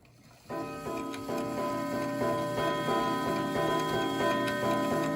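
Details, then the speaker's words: New Haven Clock Company Horace model clock, not oiled in a long time, striking very fast at about three even chimes a second. The count runs on well past twelve at midnight, so the strike count is wrong. "well that thing's fast isn't it is it supposed to sound like that let's see what it sounds like at the half wow I don't have one like this glad I bought it that's the quickest strike I've ever heard"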